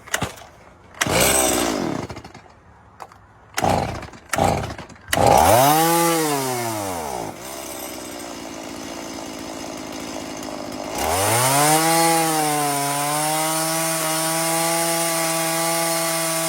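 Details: Stihl MS170 two-stroke chainsaw, which bogged and died in 99° heat, after carburetor cleaning and bending the spring-loaded needle lever back level. It revs cleanly to a steady high scream and cuts without bogging.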